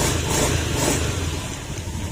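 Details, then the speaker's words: Honda Beat FI scooter after repair of hard starting, stalling and misfiring (fuel pump tagged, DTCs cleared, reset): engine revs up and back down cleanly with no stumbling or popping, idle good again; normal revving. "Okay na back na natin. Okay root test naman natin. Balik na natin. Maganda na uli yung menor niya."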